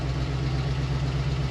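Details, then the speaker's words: 1966 Ford F100 V8 with a knockoff 2100 carburetor, just started after priming, idles with a deep rumble and sharp puffing ticks from an exhaust leak. "but I got an exhaust leak too so"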